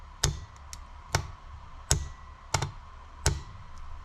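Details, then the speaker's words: 1993 Ford Explorer starter (fender) relay on a 12 V bench supply: five sharp clunks over a low hum as the coil pulls in, but there is no continuity across the terminals, so the contacts never pass current to the starter. "it does make a big click but this one does not work and I'll just show you to prove that it does not work"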